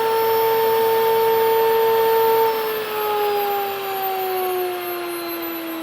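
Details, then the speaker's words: Nutrimill grain mill motor running empty after all the wheat has gone through; a steady clean whine, higher in pitch than when grinding, with no grain noise underneath, settling slightly lower. It is left running a little longer to self-clean. "now towards the end when you're grinding your wheat you're going to hear it take on a different pitch when all the grain has gone through so let's listen and you'll hear a [Music] difference it goes up in FS so you know your grain has gone all the way through"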